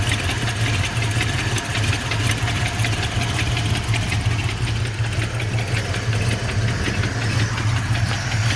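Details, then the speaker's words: Ford Mustang Fox body LX/GT convertible, sat over six years, push-button start conversion: steady idle with dull, slightly uneven knock under one per second over a heavy rumble, worse inside, gone at about 1,500 rpm; oil pressure drops after driving, cause unclear. "sounds definitely worse inside when I give it rpm he goes away definitely can't hear it right now"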